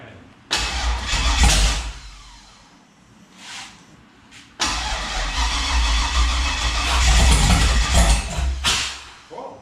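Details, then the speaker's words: Turbo 5.3 LS-swapped Mustang on a weak battery with charger: long cranking with uneven, stumbling catches before it fires rough; misfire found to be ignition coils plugged in wrong (flipped). "you almost think like a wire wasn't on the right place or something but i checked it like three times last night"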